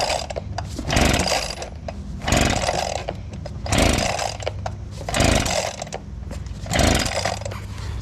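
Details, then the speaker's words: Abandoned two-stroke leaf blower, carburetor primed, on cold start setting: surges up and sags back about every second and a half, never holding steady revs; rough running and hunting, spark issue suspected but not confirmed. "we're going to put it to run now I think we're having a spark issue"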